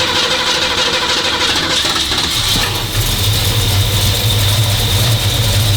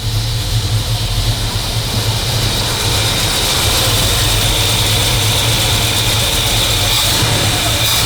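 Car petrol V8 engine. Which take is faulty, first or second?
first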